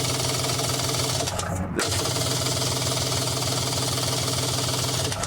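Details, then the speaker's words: 1996 Kawasaki ZXI 1100 jet ski cranking steadily, about three pulses a second, with no firing. After water got into the engine compartment it lost spark. There is no spark across the gap and the fuel system and carburetors are fine, so it cranks but won't start. "no spark across the gap and that's the problem yeah fuel system is working fine the carburetors are great when this thing is running it is flat fast"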